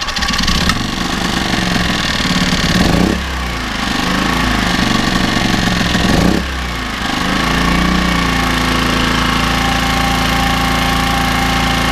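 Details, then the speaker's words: Small generator after a carb strip and clean in cleaner (before the clean it wouldn't run), now fired up and off choke: settles to a steady, even hum after brief dips, running sweetly. "hey ho look guess what that fired up and that donut run sweet actually so that's now off choke I believe"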